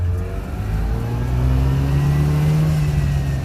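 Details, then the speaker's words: Subaru 360 two-stroke van on road test after brake rebuild, full throttle through gears toward 55 mph: clean buzz climbing evenly with no misses, knocks or rattles, throttle returning properly, snappy clutch; engine healthy. "sounds good clutch is really nice it's very snappy that's full throttle throttle returns like it should"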